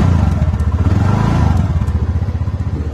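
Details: 2018 TVS Ntorq 125 scooter, three years old, after battery replacement and retightening loose bolts: idles with uneven clatter, roughly four pulses a second; abnormal noise at idle, cause unknown.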